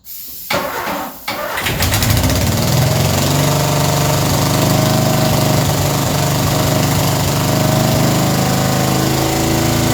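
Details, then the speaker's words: Ford Escort revived after 14 years neglected, carby feed line connected: after short tries the starter churns steadily several seconds but never catches; cranks but won't start, owner suspects no fuel is reaching the carby, cause unknown. "Still no fuel. I wonder why that is. I wonder. I would have thought it would have been a feeding the carby by now."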